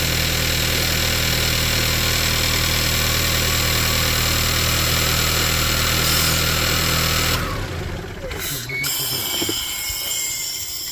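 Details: VW Tiguan that misfired and wouldn't rev, after fitting new spark plugs and new ignition coil: steady, even idle with smooth low hum and no misfire stumble; engine sounds healthy.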